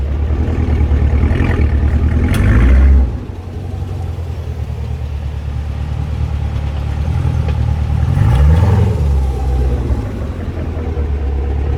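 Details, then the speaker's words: Fifth-gen Chevrolet Camaro accelerating hard from rest: engine and road rumble with several sharp clicks or clunks from the rear axle and wheel area, worsening over two to three months. Cause not confirmed; owner suspects the wheel and axle assembly. "but as you guys heard there's not just one click it's multiple clicks if i accelerate hard enough"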